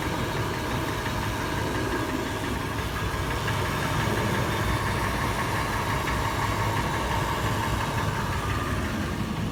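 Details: Toyota FJ idling after warm start, tapping faster in park/neutral, slower under load in drive: loud idle with sharp, somewhat uneven metallic tap about three a second; source undetermined.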